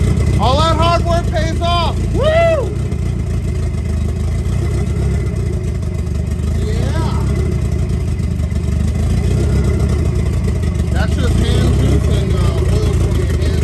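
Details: 1990 Mitsubishi Eclipse GSX, first start after intake manifold reinstall, primed by cranking with plugs out for oil pressure; catches and settles into a steady even run with quick rev blips; healthy.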